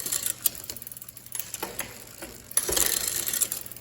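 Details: Neglected 2001 Specialized RockHopper after final front derailleur and limit-screw adjustment: light, quick clicks and a soft ratcheting tick as the chain changes rings, with no grinding or rub; front shifting is normal.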